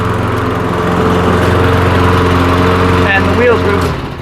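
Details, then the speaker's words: Lawnmower engine that wouldn't start after sitting all winter, first pull after cleaning the carburetor jets, with sound deadening removed: small single-cylinder firing smooth and even at steady speed with no misses or knocks; runs healthy. "I've got the um sound deadening off so that you can hear what she actually sounds like so crossing my fingers sounds pretty good nice and smooth"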